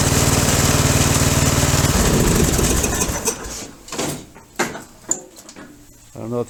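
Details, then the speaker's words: Craftsman 13hp mower, Briggs and Stratton engine, 42in cut, run a few seconds; loud hard thumping and rough running with a heavy shake, everything coming loose; can't tell if a rod is gone; loud running with heavy vibration. "noticed it when it first started how much it shook and how loud it was everything's coming loose on this motor"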